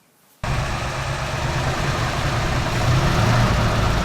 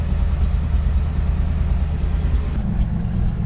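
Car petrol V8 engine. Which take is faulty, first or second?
second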